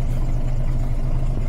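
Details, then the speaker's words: Volvo B10M bus diesel idling about five minutes with no throttle after the empty air system was refilled: low, steady, even throb with no hissing, so no air leak. Normal idle. "So the battery has been on for 6 minutes, so it's been idling for probably about five. I've not blipped the throttle."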